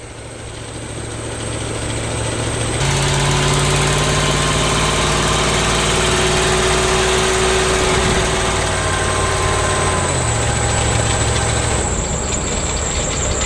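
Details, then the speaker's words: Ford Econoline Club Wagon van, new 3-speed transmission, on a test drive with the doghouse engine cover off: engine revs through shifts with a fast metallic rattle, three or four a second, from the air pump check valve. "there's a check valve thingy for the air pump that rattles you don't hear that with the dog house on but wow does it rattle a lot with it off"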